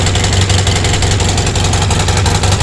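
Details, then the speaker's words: Polaris Sportsman 700 twin ATV just started, needing brief choke: uneven chuffing idle with sharp puffs of exhaust leaking up top, with a suspected nest restriction in the exhaust; new exhaust gaskets needed. "got a little exhaust restriction sounds like it's leaking out the exhaust up here oh yeah big exhaust"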